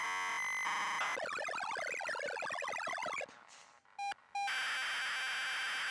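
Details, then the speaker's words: Grey ZX Spectrum +2 built-in tape deck, slightly noisy mechanism, loading a fast-loader tape as a hard test: clean pilot tones, fast chirping data bursts, a gap, steady tones again; loads properly. "I don't know if you can hear it but it sounds very different. This is basically a fast loader, if this can load this then it's a good take load."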